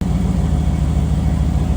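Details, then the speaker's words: 1985 Pontiac Trans Am with tuned port V8, out of storage, new thermostat gasket, cold day, revved a little: deep, even idle with a steady regular beat, no knocks or misses, a little loud; normal healthy idle. "Yeah, it's not a bad sounding car. It's a little on the loud side."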